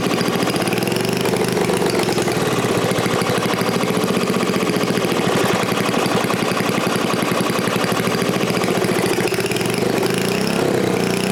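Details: New-old-stock Briggs & Stratton 5HP dual-shaft aluminum-bore engine, rebuilt, after fixing a no-start caused by the throttle plate closing fully and idle speed set too low; steady, fast, even putter holding speed with no misses, knocks or surging; healthy.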